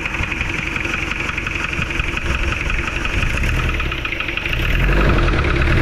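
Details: Toyota engine that overheated from water jacket leak at block between engine and transmission: loud, fast rattling knock over rough idle, about four raps a second, heavier as revs climb; water entering cylinders 1 and 2, exiting exhaust; head removed.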